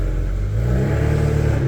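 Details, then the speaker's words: BMW 335i N54 twin-turbo six with new RB turbos after oil feed line leak fix: smooth short rev pulls, clean deep exhaust, no more wastegate rattle as before; normal revving. "I think my favorite thing so far is no freaking wastegate rattle anymore. That is... that is actually very, very refreshing."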